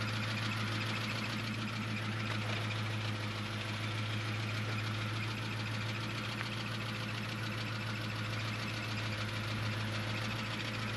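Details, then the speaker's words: Chevrolet Camaro, 155,000 on the clock, at idle: a rough, uneven rattle over a low drone from the gearbox area that goes away when the clutch is pushed in slightly; the owner suspects the throwout (release) bearing. "I don't know if you can hear that but it sounds to me like the throwout bearing [Music] might be making a little noise I don't know you hear it louder out here"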